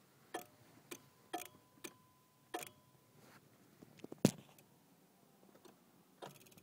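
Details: 1991 Honda Civic no-start: turning the key gives only a few sharp single clicks of the main relay with no cranking; battery freshly charged, fuel pump recently replaced, fuses good, 60A fuse recently replaced.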